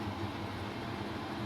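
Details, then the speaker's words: Newly installed Chinese diesel air heater in a UK self-build camper van, running full output with very hot outlet air: steady even roar of fan and burner, no clicking, surging or misfire; working normally. "Anyway, it's done, it's in, it's working."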